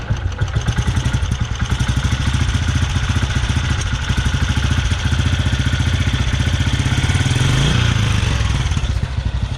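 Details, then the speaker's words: 2008 Royal Enfield Bullet Machismo 350 ES after restoration, started on electric start with clutch pulled, idling: deep even single-cylinder thump about three to four beats a second, no knocking or misses; everything working properly. "सो हर चीज़ इसकी proper work कर रही है।"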